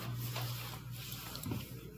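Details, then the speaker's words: KitchenAid/Whirlpool KDFE204ESS2 dishwasher in diagnostic test cycle: drain pump running normally with a steady low hum and light water gurgling; wash motor not running earlier in the cycle. "our drain pumps good"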